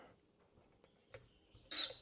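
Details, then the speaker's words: Number one injector nozzle from a Caterpillar D6 9U diesel on a pop tester: a thin squeal builds, then a sharp hiss as it opens at about 800 PSI with no leak-off. A good, clean nozzle opening. "this is the number one injector and it's working nearly perfect I mean it's not leaking off off it's not it's got a good squeal breaking right at 800 PSI"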